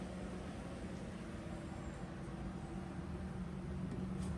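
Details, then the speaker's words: Porsche Speedster replica with freshened Porsche engine, key on, engine off after fuel fitting work: quiet steady low hum of the electric fuel pump priming to about 2 psi; normal. "so I'm going to turn the key on here the fuel pump run walk back look and see if there's any leaks any of the stuff I worked on it's a really quiet fuel pump in this car so you probably can hear it"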